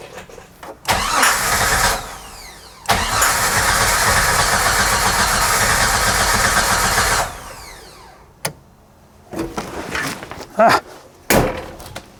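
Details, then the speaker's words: 1994 Jeep Wrangler cranking with fuel pump circuit jumped: starter grinds steadily for several seconds with only a faint occasional cough, no catch; crank no start, fuel pump not heard at key-on, fuel now suspected present, spark being checked next. "Well, that was better. All right, so I tried starting it a few more times. I can get it to cough every now and then, just a little bit."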